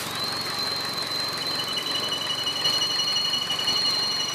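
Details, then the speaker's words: Opel Astra J idling: steady high whistle under the hood from air sucked past the crankshaft oil seal lip, sounds like a roller but isn't; persists with belt removed. "достаточно громкий, как вы видите. Именно сальник коленвала."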